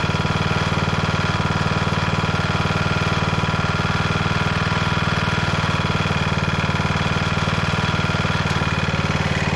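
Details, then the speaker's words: 1991 MTD 12/38 riding mower under restoration, just fired right up: steady, even putter about four beats a second with no misses or knocks; normal idle. "that was mildly impressive that thing just fired right up okay that's pretty exciting"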